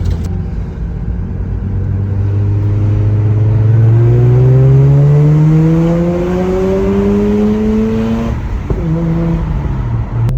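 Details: Mazda RX-8 rotary, rebuilt after earlier cold- and hot-start problems: a smooth, clean tone climbs steadily as the revs rise, then drops back evenly. Healthy rotary engine revving.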